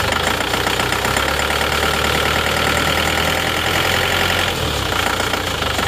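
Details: Isuzu Panther Touring diesel, recent model: rough lumpy idle with loose tak-tok tapping and engine shaking, not engine mounts; one cylinder seems not working, nozzle suspected; smoke and dipstick issues noted.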